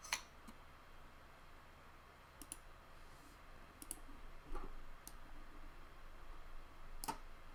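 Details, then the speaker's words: Panasonic floppy drive from a water-damaged Amiga 600, owner suspects seized motor or poor lubrication: sparse irregular clicks and short ticks with no steady read chatter; the drive seeks but won't read. "I can hear the drive doing something, but it doesn't want to know."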